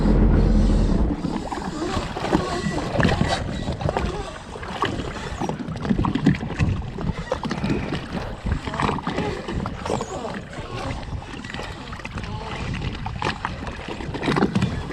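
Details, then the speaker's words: Sea-Doo GSX with Rotax fuel injection under way after replacing two fuel pump filters that had caused no power: engine pulls strongly, revs rising cleanly over water rush and hull slap; running great. "But anyway, you could at least hear the way the thing was running, and it was running great."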